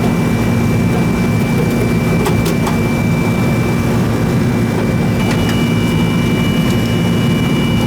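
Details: Old R-22 Goodman AC that was running but not cooling, after service: steady low compressor hum with a constant faint high tone, even and unbroken. Noisy, growly, but running.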